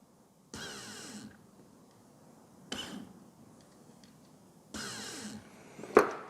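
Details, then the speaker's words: Rebuilt fuel pump assemblies for a V12 BMW E31 850i, briefly powered from a 12 V battery off the car: short bursts of an even electric buzz, steady and clean; both pumps working normally. "You don't want to run them dry, so it's enough to touch them briefly to hear them buzzing."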